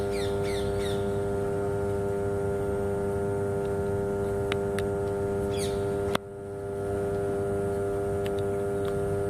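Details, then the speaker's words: 33/11 kV power transformer under load with cooling fan: steady low electrical humming with a clean even tone, birds outside; normal for high-voltage power transformers. "इसकी आवाज़ जो है जिसे हम हमिंग कहते हैं, तो ये हाई वोल्टेज पर जो ट्रांसफार्मर कार्य करते हैं, पावर ट्रांसफार्मर, वो ऐसी ही आवाज़ करते हैं।"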